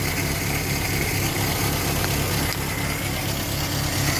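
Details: 1962 Land Rover Series 2A 2.25 petrol four-cylinder, first start after over ten years sitting: settles into a low, steady idle with a fairly even beat and no knocks; starts and idles healthy.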